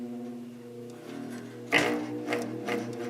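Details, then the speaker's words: Vintage GE window fan after repair, rotor shaft loose in rotor glued tight with clear gorilla glue (not the bearing): soft even motor hum, no cyclic drone, few handling taps; normal fan motor hum on short test run. "oh yeah that is a million times better now that that shaft is tight in the rotor"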